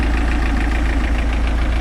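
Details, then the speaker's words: Mercruiser inboard after fitting Pertronix electronic ignition and a Flame Thrower 3-ohm coil, with points, condenser and ballast resistor removed: deep, even idle with no misfire or stumble; starts instantly and runs smoothly. "oh that sounds nice and smooth too nice it's not quiet that is that sounds so smooth"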